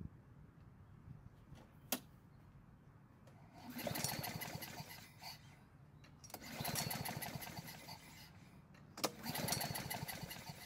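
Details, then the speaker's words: Nearly new Honda HRN 216 mower, overfilled with oil, won't start; several pull-starts, each whirring spin coasting down without firing; low compression suspected since engine spins twice as long as expected after pulls; cranking no-start. "apparently the owner was correct it definitely will not start the strange part is that this engine seems to be low on compression and i say that because of how the engine keeps spinning after each pull"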